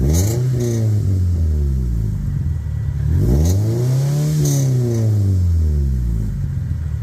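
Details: 1998 Toyota Celica GT ST202 after tightening an exhaust joint clamp over a leak that was loud on throttle: clean rises and falls in revs, smooth exhaust note, no puffing or ticking at the joint; normal exhaust note.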